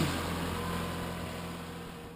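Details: 2007 Kia Optima/Hyundai Sonata 2.4L 4-cylinder, after reconnecting a loose connector up top: the engine catches and runs with a steady, even low hum and no knocks or misses, then shuts off. Normal running after the no-start fix.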